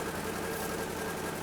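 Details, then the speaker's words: Citroën GSA engine running without choke after the fault was finally found: an unsteady, lumpy, chaotic idle with an uneven beat. It runs, but the engine still needs adjustment. "Là, elle est sans starter et elle tourne donc j'ai un ralenti. Bon, il est chaotique mais j'ai un ralenti."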